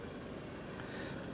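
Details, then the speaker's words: Chevy with Ecotec engine at auction idling: very soft, smooth hum with no ticking or knocking; engine sounds healthy and amazingly quiet. "As you can hear, the engine sounds amazingly quiet."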